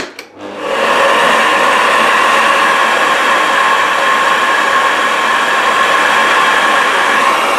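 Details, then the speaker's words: Philips vacuum cleaner on full power, compared with a Shark: quick spin-up to a steady, even high-pitched whir with no wobble, rattle or grinding; normal running. "So yes, and well, just a reminder, this is Philips sound compared to the Shark sound. So Philips on the full power."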